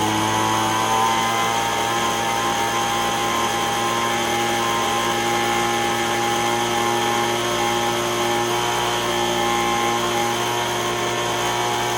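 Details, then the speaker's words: Echo ES-210 handheld leaf blower, roughly 15–20 years old, after repair for surging RPM, with the pipe on. Small two-stroke holds a high, steady buzz over 7,000 rpm with no fluctuation: normal steady running. "So as long as it starts now, I'm over the 7,000 RPM, it's not fluctuating."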